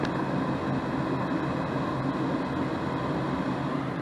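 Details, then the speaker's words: 80% single-stage Goodman natural-gas furnace with a planted fault: power restored and the inducer motor clicks on and hums steadily though the thermostat is off, heat not turning off, traced to a bad, shorted thermostat wire. "so now i'm going to turn the power back on and it's already clicking the inducer motors on and i've got i've got the thermostat off"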